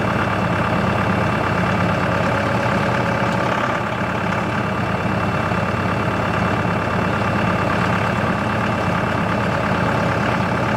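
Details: CountyLine post hole digger on a tractor PTO, first use with the 6-inch auger in very hard clay. Steady engine drone under load with an even PTO hum, no knocks or grinding. Digging normally, though clay clumps fall back into the hole.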